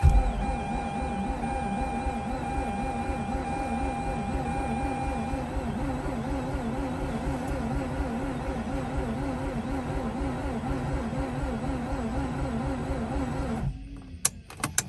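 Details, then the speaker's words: Mazda RX8 sat with two-year-old fuel, being replaced; clutch in, about 15 seconds cranking: steady starter whir rising and falling about four times a second, never catches; crank no start, cause unconfirmed. "so that's about 15 seconds of cranking before i uh proceed uh to crank some more"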